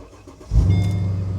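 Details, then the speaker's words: 2007 Mercedes SL550 at a salvage auction, 101,000 miles, service overdue by 623 days. Brief crank, then it catches at once and settles into a smooth, deep, even idle. Normal engine start. "and she starts right up"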